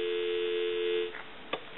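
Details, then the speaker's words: Takara French-style rotary desk telephone: clean, steady dial tone with no buzz or crackle, then handset clicks. Normal line. "we want to go ahead and plug the unit in give you some dial tone and as you can see it's nice and quiet"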